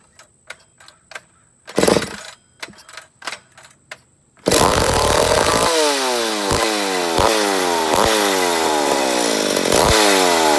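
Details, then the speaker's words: McCulloch Pro Mac 850 chainsaw, first start after rebuild, carb being adjusted: several pulls, fires, revs surge up and down instead of holding steady, sounding lean; owner suspects an air leak on the flywheel side. "but there's a first fire so I know we got a little bit of air leak I'm a guess on the flywheel side"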